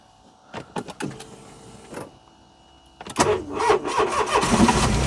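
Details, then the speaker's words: First-generation Smart Fortwo Cabriolet, sitting since September, started with a second borrowed battery: a few short uneven cranking bursts, catches after about three seconds and runs steadily; alternator belt also drives water pump; cranks and starts. "there we go that's probably the first time this has run since September now"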